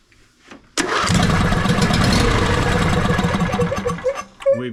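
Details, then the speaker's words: John Deere D130 riding mower being diagnosed for slow cranking, spark checked: brief crank, then fires right away without choke and runs strong and steady with no stumbling; normal start. "got spark now on this side it fired up right off the bat without choking or anything like that this thing wants to run"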